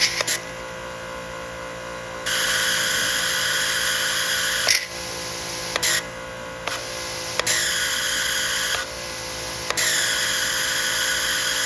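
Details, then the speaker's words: Pressure washer, previously repaired, hose not original: high-pitched motor whine cutting in and out every second or two with the trigger released, clutch-like noise, won't stay off; owner suspects it is damaging something, not confirmed. "e traz um problema muito chato porque não permite você desligar quando você solta o dedo do gatilho ela faz aquele barulho que nitidamente está prejudicando danificando alguma coisa"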